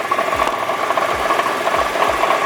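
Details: Nissan GT-R R35 at idle: a light, fast metallic rattle over uneven low thumps, seemingly from the bell housing. It is one of the car's clunky transmission quirks, which the owner believes are normal. Exact cause unclear.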